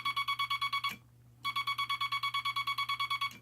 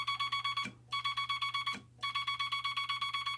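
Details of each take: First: Semi-automatic telegraph bug (key) dot contacts after installing the dot stabilizer, wire run parallel to and touching the dot contact spring, then readjusted: two runs of crisp, evenly spaced dots with a definite start and stop, no scratchiness; clean keying. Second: Telegraph bug keyer without dot stabilizer, dot contact screw readjusted: fast even dots about four a second, each with rough buzzy edge instead of clean tick; scratchy dot contacts.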